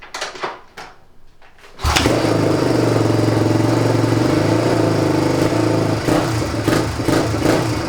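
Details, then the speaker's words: 1997 Suzuki DR350 single-cylinder dirt bike, neglected and previously caught fire, kick-started, off choke: ragged, uneven fast idle with stumbles, running lean; owner suspects clogged carburetor. "all right so when I take it off choke it runs really lean so probably carburator is a little bit clogged up"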